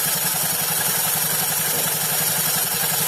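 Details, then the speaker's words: Honda Beat FI Eco CVT, engine running with the CVT cover open: a coarse grind pulsing about three times a second. Suspected cause is uneven V-belt edges; the owner also reports vibration at certain rpm. "Jadi suaranya itu kasar ya, seperti ini. Tapi untuk suara kasar seperti ini kayaknya ini dari pendel ya."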